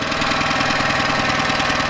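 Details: Yamaha 9.9hp outboard idling after replacing a cracked, dried-out carburetor diaphragm that caused heavy gas leaking; steady even running with smooth unbroken beat, no misses or knocks; idling healthily.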